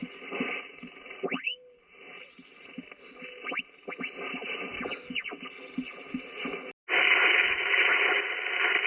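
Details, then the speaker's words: Ham radio in an SUV with solar charge controller bulk charging at about 10-12 W: radio hiss with rhythmic pulsing buzz about four beats a second, wideband interference from the controller; noise drops from S3-S4 to S2 when panel unplugged. "right okay okay so there's there's a huge difference when i unplug the solar panel uh the the noise is almost like a rhythmic noise that that goes"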